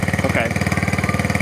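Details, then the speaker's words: Barn-find 1969 Honda Z50 Mini Trail on half choke, cold: fast popping single-cylinder beat now firing more evenly as it warms up; it just needed warming, and the idle may need turning up. "well it's running better than it was oh look at that she just needed to warm up now"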